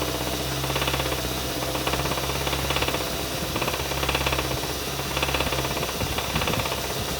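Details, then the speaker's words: 2015 Kia Sorento 2.4 with about 110,000–113,000 miles, misfiring, check engine light on, P1326 knock sensor code, won't exceed 20 mph; heavy rapid lower-end rod knock on light revs that doesn't change with temperature; rod bearing failure, engine replacement recommended. "hey guys video service information here looking at 2015 kia soreno 2.4 got that good lower end rod knock"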